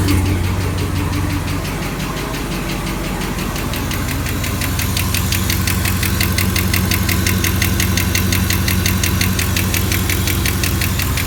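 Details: Camaro SS with L99 V8 at idle: a fast, even light tick about three per second over a steady idle, suspected to be a lifter.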